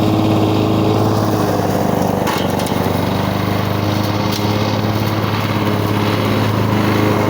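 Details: 1985 Lawn Boy model 7350 two-stroke mower, sat outside for at least three years, cutting thick weeds on raised aftermarket wheels. Steady, even buzz under load with the pitch a touch low and no misses. Runs well; the owner feels the RPM is slightly low and may adjust it.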